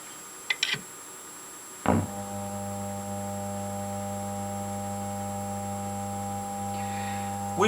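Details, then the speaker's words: Thorens TD-160 turntable, unmodified motor, amplified: steady low hum near 100 Hz with buzzy overtones; a fixed-value phase-shift capacitor mismatched to the motor causes the vibration. "see first will let you hear the amplified motor noise of an unmodified motor"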